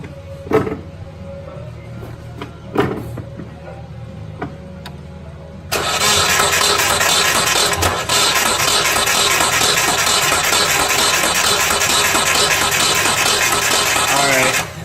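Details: Storage-unit Mazda Miata, long unrun, first start attempt: after clicks, starter spins fast and steady about three turns a second for nine seconds, never catches; compression later tested about 90–110.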